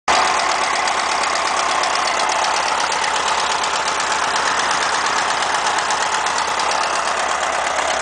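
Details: VW Beetle with a new engine at idle: fast, light tapping about three per second over a steady idle, possibly top end or valvetrain; cause unknown.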